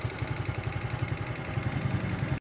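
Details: Honda Future 125 after cam chain tensioner modification (BD-style, lever 7, tube 6): even, steady low idle thump with no whine over it; cam chain quiet, tensioner whine about 90% reduced, engine running normally.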